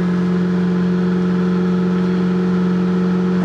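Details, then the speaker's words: Fiat Panda 4x4 Sisley cold start in very cold weather, choke fully out after three throttle pumps, throttle feathered initially because the fuel pump doesn't hold fuel forward; steady even raised fast idle on choke, no misses or knocks: normal cold idle. "there's a case of Feathering it on the on the throttle initially because uh my fuel pump doesn't hold the fuel in the front so it has to drag it from the back again all all the time and as you can hear it's running"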